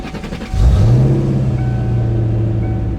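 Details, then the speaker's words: Petrol car engine after replacing spark plugs and wires to cure a misfire: it catches, flares briefly, then settles into a smooth, steady idle with no misfire. "and i can tell already that is so much better oh man that sounds good no more misfire"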